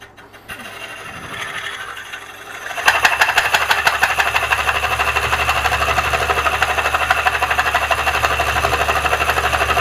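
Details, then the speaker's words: Old maple bowl blank on a lathe, cut with a Woodcut Bowlsaver coring system: a steady rattling chatter about three beats a second over the spinning blank; the tool is snug, and the turner suspects the old wood is compressing. "I am going to stop and double check because you hear, I don't know if you guys can hear the vibration, and I don't know if the wood is just compressing because it's so old."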